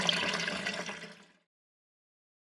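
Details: Toilet test flush after fitting a new Thomas Dudley fill valve and syphon: short, clean rush of water tapering away over about a second and a half, then quiet; normal flush.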